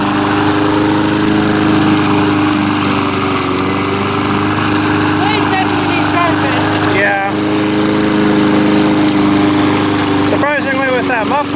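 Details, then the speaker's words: Small single-cylinder mower engine, earlier a no-start, now running: steady, even buzz at a fast governed speed with no misses or surging; running properly. "flopping around it's not that loud seems like it's running good now though"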